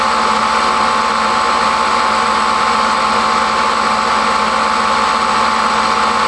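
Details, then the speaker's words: Rebuilt Triumph Spitfire overdrive gearbox on a test stand, driven by a variable-speed motor of about 3,500 rpm and shifted through all four gears: a steady, even hum with a faint constant whine and no grinding, even at higher rpm, so the synchros are working. "what you saw was i shifted through all four gears you want to listen for any sort of grinding noises that's an indication that your synchro rings aren't working appropriately but even at higher rpms we made barely any any noise at all so it's shifting smoothly"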